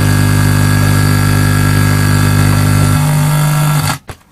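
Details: Vintage Sinclair Z50 DIY amplifier module on a bench supply set to 10 volts, fed from a laptop: a loud, steady low hum with faint pulsing that cuts off abruptly; suspected poor input cable connection.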